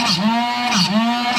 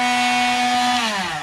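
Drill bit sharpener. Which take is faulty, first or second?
first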